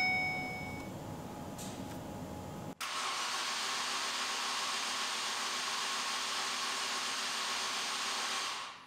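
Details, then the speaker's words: 2009 Ford Focus collision car after a -7°F night, push-button start on a jumper pack: a chime, then the starter spins fast and even with no compression strokes and no start. A bad timing chain with no compression is suspected. "push-button start correction push-button no start that filly sounds like a bad timing chain definitely has no compression we only needed an audible compression test on this one"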